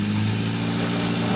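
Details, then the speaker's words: 1988 Nissan Sentra E16i during starting and running troubleshooting; steady four-cylinder idle hum with slight rise and fall in speed; hunting idle, cause not identified. "Idling up and down. See? Right now it's idling up and down."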